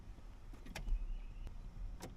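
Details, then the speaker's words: 2008 Chevy Silverado 1500 cab, brake pedal pressed repeatedly: three sharp clicks as the faulty brake light switch (brake pedal position sensor) clicks off and back on, causing flashing brake lights and start/shift problems. "You hear it clicking, which is fine. And it's supposed to when you touch the pedal, but keep listening as I keep pressing the pedal. You hear it click off again."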